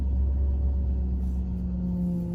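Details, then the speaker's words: 2007 Honda Civic sedan idling, wheel turned left and right: steady mid-pitched whine over idle rumble, swelling with steering; whine returned after refilling power steering fluid, bad power steering pump needing replacement. "window so you hear that whining sound let me steer the steering wheel left and right yeah so as you can hear the power steering pump is bad and you can tell by hearing a whining sound"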